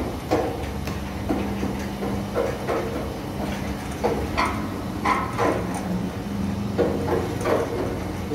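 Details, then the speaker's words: Sliding gate driven by an opener motor (set to manual), wheels after 8 years of use, before replacement: rough rumbling roll with irregular knocks and clunks as the gate travels; worn, dented wheels and plates on the track. "oke teman-teman kali ini roda pintu gerbang kita ada masalah suaranya kasar seperti ini"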